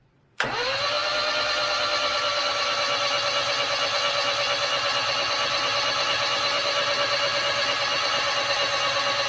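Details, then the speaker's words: 1989 Austin Mini Designer, 998cc A-series engine, unrun for about three years, cranking on a fresh battery with the spark plugs out before a compression test. Fast even spin with no binding; some oil came out. Normal cranking. "so that all seems to be spinning over nicely there was a bit of oil came out which was good"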